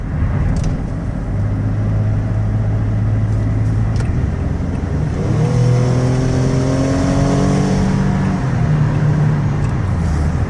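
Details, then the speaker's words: 2016 Toyota Sienna L wheelchair van, 61k miles, driven hard onto the highway: engine note climbs smoothly under hard throttle and drops cleanly at each transmission upshift; normal acceleration and shifting. "I want you to hear the engine run hard I want you to hear the transmission shift and I want you to know that where's this van runs and drives very well not only in the city but also highway speeds"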